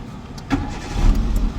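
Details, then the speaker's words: Hyundai i10 that logged P0301/P0304 misfires and check light, started after spark plug replacement and clearing codes: brief crank, catches and settles to even low hum, rpm rising then dropping by itself, check light gone; clean healthy start. "तो अभी check light जा चुकी है और RPM अपने से high होकर लो हो रहा है।"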